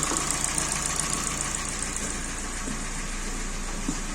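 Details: Kia Sportage 3 engine at 100,000 km, recorded before teardown: rough idle with an uneven knock tapping through the engine note; engine knock from a scored cylinder.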